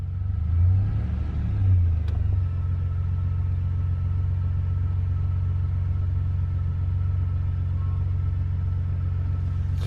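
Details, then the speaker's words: 2002 Chevy S-10 Xtreme after a new idler pulley, tensioner and belt, heard from inside the cab: steady low engine hum with no gurgling, chirping or rattling from the belt area; quieter than before: normal running. "I just hear engine noise in here now not so much a gurgly crusty sound let's see what it sounds like under the hood sounds a lot better A lot quieter"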